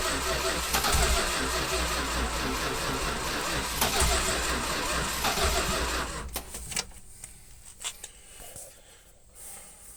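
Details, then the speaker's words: 1967 Plymouth Fury barn find sat 42 years, jump box, gasoline poured down carburetor: fires quickly, runs roughly about six seconds, then dies; won't keep running on its own. "all right here we go got the keys holy crap I was not expecting it to start that fast"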